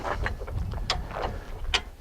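Sharp metallic clicks come one at a time as the handle is pumped, with clean, even ratchet engagement and no slipping or grinding.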